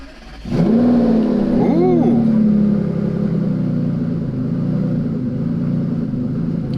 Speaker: and the car hasn't been started in a while uh so it runs a little bit lumpy but it'll smooth out pretty good